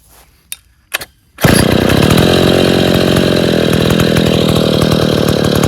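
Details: Stihl 070 chainsaw, two-stroke, running after rebuild of the bottom end with axial play corrected. A few handling clicks, then it fires and holds a steady, crisp high-rev buzz without stumbling: normal running.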